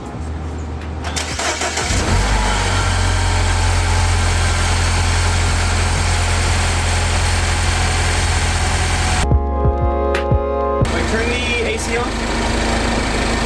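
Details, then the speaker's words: 2014 Mini Countryman S (R60), about 98,000 miles, just after a new friction belt tensioner was fitted to fix a high-pitched belt squeal: quick start and a steady, even idle, with no squeal or chirp when the AC is switched on and off. "Everything looks really good, actually. Everything sounds good. Everything looks good."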